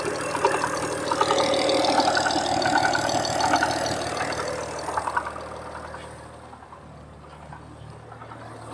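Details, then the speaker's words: 1967 Ford Anglia 105E with Mitsubishi 6A13TT twin-turbo V6, on axle stands at idle: light even ticking rattle about three per second, loudest at passenger-side front timing belt cover via screwdriver; owner no longer thinks it is knock; source unconfirmed. "let's go old school with a screwdriver and pull up to my ear and see what i can hear i can hear it more in the passenger side front cover for the timing belt"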